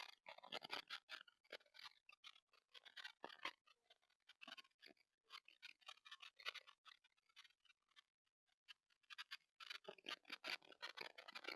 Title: TP-Link Tapo C225 Indoor PT Camera – Poor Audio Quality Test (Crackling Noise in Silent Room)